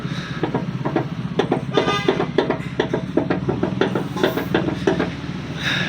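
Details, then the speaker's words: Old Honda CR-V Gen 1 tailgate hydraulic strut rocked by hand: quick run of sharp clicks about three a second; owner suspects it is loose and a source of a knocking noise heard while driving, unconfirmed. "Ternyata hidrolik bagasi berbunyi juga ya. Ini enggak sih yang dua ini, ini juga bunyi sih."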